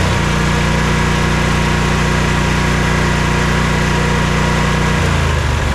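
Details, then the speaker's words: Sabre by John Deere lawn tractor after carburetor cleaning and clearing a fuel-tank clog: a steady, even, low thrum holding a smooth idle without stumbling or hunting. Normal idle after repair. "There, it's finally idling."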